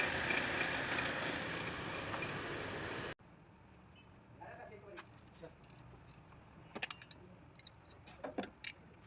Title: V-Belt Adjuster Bearing Noise 🔧 | Problem Solved ✅#VBelt #VBeltAdjuster #BeltNoise#automobile